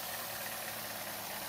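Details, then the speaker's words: Chevy Sonic with the 1.4L Ecotec turbo, codes P0106 and P1101. A steady airy, vacuum-cleaner-like hiss sits over the idle under the hood, caused by a failed PCV valve in the valve cover; the fix is a new cover. "definitely not normal for this little sonic you hear it right there so if you're hearing that you got the codes that's your crop"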